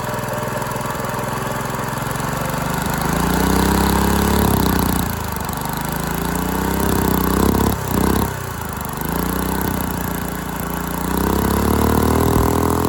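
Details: Dumpster go-kart engine with valve parts missing under the valve cover, run unloaded. Rough running with revs hunting every few seconds, stumbles and dropouts. Owner suspects timing and probably valve lash; huge rear main leak.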